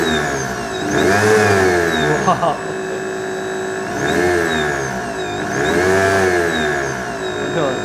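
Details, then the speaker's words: Large DC motor on a homemade 220 V 4000 W thyristor speed controller, started at very low speed then sped up: steady buzzing hum, whine and vibration, blamed on a spiky, poorly smoothed rectified supply far from pure DC. "Vous pouvez voir que le moteur a démarré à très basse vitesse, mais il y a trop de vibrations et de bourdonnement, comme je l'ai dit, vous pouvez le voir."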